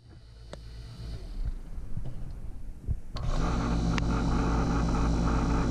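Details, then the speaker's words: Taco circulator pump on a heated driveway snowmelt system, filled and purged of air, at 50-55 psi. After handling noise, a constant low hum with a deep drone. The owner suspects the mount screwed to the studs carries vibration into the framing and may add rubber isolation pads. "the the the hum here the low low drone i think is because i i screwed it right to the studs so you know i'm sure it's transferring some vibration to the frame"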